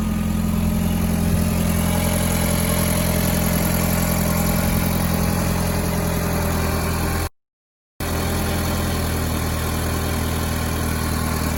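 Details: Mk4 VW 1.8T four-cylinder turbo petrol (K04) after replacing a cracked head that caused misfires and low compression, with new NGK BKR7E copper plugs: a steady, even idle, low hum with no stumble.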